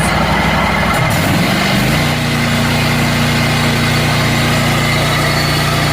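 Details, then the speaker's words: Scag zero-turn mower started for charging-system test at high RPM, blades off, battery voltage checked at terminals: rough start rising to a steady, even high-speed drone with no knocks or misses; normal running. "So now we're going to start it up. When you run it, you want to make sure you're testing it at high RPMs."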